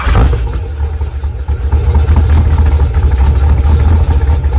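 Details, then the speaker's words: Engine starts and idles with an uneven metallic rattle over a low rumble, caused by a small loose ball caught in the flex plate/bellhousing area; transmission had to come off to retrieve it. "that noise was the sound of the ball getting loose in here and then jiggling all into the flex plate things means i had to go through all of this just to get one little ball down"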